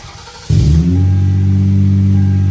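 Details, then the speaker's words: 2000 Toyota Avalon with 223,000 miles, a no-start caused by a broken ignition barrel tab; after replacing the barrel it catches at once and settles into a smooth, steady idle, a touch high, with no misses, knocks or check engine light. "Runs good. Runs good."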